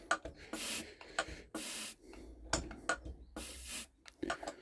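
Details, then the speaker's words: Mercedes OM603/OM606 turbodiesel injector on a hand-lever pop tester, third injector, leak-tight: each stroke gives a soft smooth hiss with no crisp chatter; worn nozzle. "C'est étanche. Ouais, vous entendez, ça gronde pas quoi."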